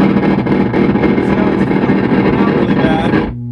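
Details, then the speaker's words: Guitar amp under repair with correct pin voltages: it plays normally, then cuts out after about three seconds, leaving a low hum. Output flutters in and out when parts are touched, persisting after solder joints were redone. "it flutters in and out really bad but if i touch again it should come back in"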